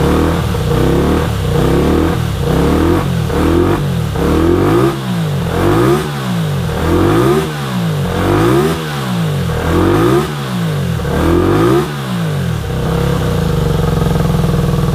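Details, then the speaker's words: 1983 Honda VT250 V-twin with 63,500 km, revived after freeing seized carburetor slides: crisp even idle with blips about every 1.5 s, clean pickup and no knocks or rattles. Normal running and revving. "so i am calling that a big success this thing runs awesome for a 250."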